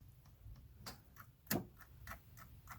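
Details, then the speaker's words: 1981 Cadillac 8-6-4 in factory diagnostic actuator test (code 96): solenoids heard clicking as all engine actuators cycle, meant to be on 3 seconds and off 3 seconds; the idle speed motor (throttle kicker) is barely moving during the test. "so in particular you can hear the actuators are all going they're supposed to go on for 3 seconds and off for 3 seconds"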